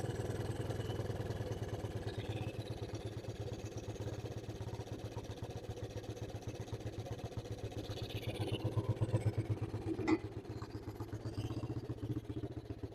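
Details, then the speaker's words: Suzuki LT160 quad bike, sat 3 years, running without air filter after tightening a loose carburettor fitting: even, settled low putter at about four pulses a second, no hunting or high idle; idling really smoothly. "sounds good you know why this camera isn't posted sorry guys that actually sounds really really smooth"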